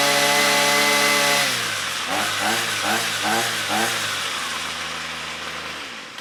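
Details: Ryobi string trimmer, about four years old, found in the trash, two-stroke running after its broken air box cover was repaired: a clean, steady high buzz that drops smoothly to a lower settle and winds down. It runs normally.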